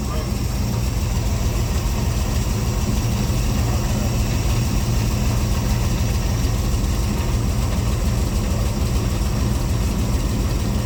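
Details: C3 Corvette carbureted V8 idling after float levels were adjusted toward the middle during the carb tune: steady, even low rumble with no misses or stumbles, owner says it's running pretty good; normal idle.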